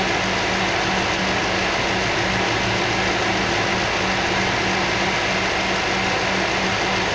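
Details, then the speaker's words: Toyota 3UZ-FE V8, fully warm, after three burnt valves were replaced following running on gas and both heads were fully rebuilt. It gives a smooth, even low hum under loud radiator fan rush, idling cleanly with no miss or tick. "так должна V8 работать. Никак по-другому."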